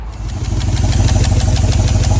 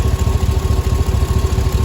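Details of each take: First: 2005 Cadillac Escalade 6.0 LQ9 V8 at idle during a lifter and valve job: sharp, fast ticking that keeps pace with engine speed, from an exhaust manifold leak; two rear manifold bolts missing or broken. A cracked hose also causes a vacuum leak. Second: 2005 Cadillac Escalade 6.0 LQ9 V8 idling after head removal, valve job and lifter replacement: even, steady low burble with no lifter tick; much smoother than before, slight exhaust manifold leak from broken/missing bolts. Normal idle.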